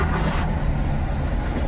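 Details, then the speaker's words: Maruti Suzuki WagonR with misfire and low pickup, check light on: low, uneven idle with rough, unsteady beat; still misfiring after clearing codes, check light returns with manifold absolute pressure sensor high-input code; crank sensor code in history; MAP wiring suspected. "यहां पर गाड़ी missing करही रही है अभी भी और check light भी वापस से आ गई"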